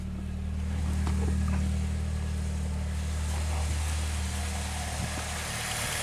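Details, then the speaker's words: 2006 Saab 9-3 on ramps before an oil change, no oil pressure light after start: smooth, even idle with steady low hum and no knocks or ticks; normal healthy idle. "sounds good to me of course it's you know still on the ramps"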